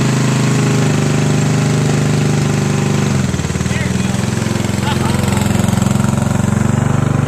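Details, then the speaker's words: Sears Craftsman riding mower with spare rebuilt carburetor replacing gunked original: small engine chugs unevenly, loses pace, then labours on with irregular beat; only runs with choke on the whole time. "So this one, the only way it runs is if the carburetor is on the choke the whole time."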